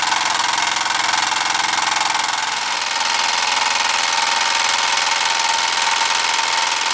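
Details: Small repaired steam engine, piston freed after an acetone soak, heated by a three-wick methylated-spirit burner, gives a quick, even chuff of about three and a half beats per second with a bright hiss; running smoothly.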